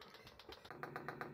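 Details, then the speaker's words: Chinese 5 kW 12 V diesel air heater on a boat, replacing a failed Eberspächer Airtronic D2: quick, evenly spaced ticks about eight per second as the dosing pump primes normally after holding the button three seconds. "so by process of elimination we eventually worked out it's this one and there's the pump priming"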